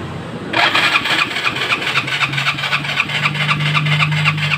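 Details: Yamaha Mio Sporty scooter with a noisy torque drive: the starter cranks at about four pulses a second, but the engine never fires. It was later found not to start because the dirty air cleaner was soaked with gasoline.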